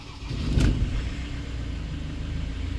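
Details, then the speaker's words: Ford Transit started in neutral after priming oil pressure and reconnecting the crank angle sensor: short crank, quick catch, then a steady even idle with no knocks or misses; clean start. "so this is just a safe way of starting a vehicle if youve um done some engine work or something similar this just Ensure that before it starts you build up oil pressure and you know that the vehicle or the engine is not going to run drrive"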